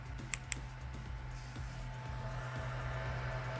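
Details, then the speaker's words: AAXA P7+ mini portable 1080p projector running in boost brightness mode then standard; steady loud fan rush with low hum that barely quietens with the mode change; the cooling fan is simply loud. "so the fan noise is an issue but you have to remember you're dealing with a tiny projector"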